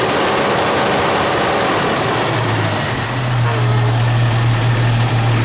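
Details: Jeep XJ at idle, hot or cold: steady idle with an uneven light knock at roughly three per second, which fades under load. A cracked exhaust manifold was replaced and flex plate bolts tightened, each helping a little; cause still unknown.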